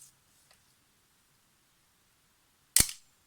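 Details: Yashica FR-1 camera after cleaning, lubricating gears with tungsten disulfide and damping the pinging spring with foam: one crisp shutter snap with only a faint fading ring; normal shutter release.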